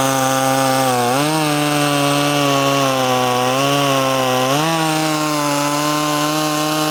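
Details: Poulan 2500 Farmhand chainsaw (2900 equivalent), converted to .325 chain from 3/8 low profile, cutting: crisp high buzz holds steady, pitch jumps cleanly as the throttle opens, no bogging or surging. Normal running under cutting load.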